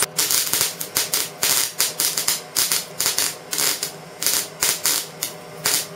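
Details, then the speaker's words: Erratic MIG welding: arc stops and restarts in uneven crackling bursts about three a second instead of a steady sizzle; wire snagging in a jammed Euro torch liner, on 15 kg wire rolls. "that freaking gun horrible you can hear it going on oh doesn't even look right see that guys it's just um what it's doing you can feel it in a gun"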